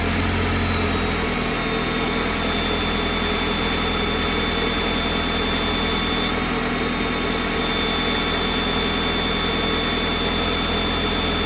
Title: weird noise when cold